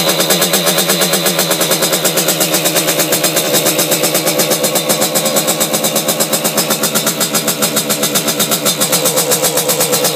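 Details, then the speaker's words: Simonini engine in a Piaggio Ciao moped (side intake, 21 mm carb, machined head with decompression lever, internal rotor ignition), run in subframe: loud, crisp, rapid even two-stroke firing, no misses or leak hiss; running healthy. "so yeah the system seems to work so I'm quite happy about that and makes a lot of noise actually it sounds like it really wants to go"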